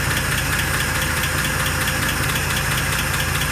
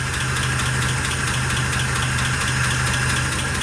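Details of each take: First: 1948 Pontiac Torpedo after restoration, idle risen to about 570 rpm: steady, even low rumble with no stumble or miss, so the idle is normal and smooth. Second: 1948 Pontiac Torpedo at start-up during restoration, cast iron head: steady low idle with a light, quick metallic tick from one valve, front three cylinders; fuel pump diaphragm also leaking.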